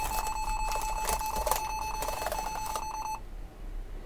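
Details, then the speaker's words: Lenovo T440 laptop with liquid-spilled keyboard: rapid short steady-pitched beeps about three a second for three seconds at power-on, then silence; stuck key, Escape key sticking down. "yeah that's a stuck key but using an external keyboard we can see we can get in there"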